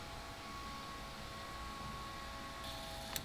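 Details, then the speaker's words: Rotary-engine Corvette being converted to E85: fuel pumps run by jumping their power line give a quiet steady hum and faint whirr as they pick up fuel and build pressure; priming is normal. "so they're picking up fuel and fuel pressure gauge is going up"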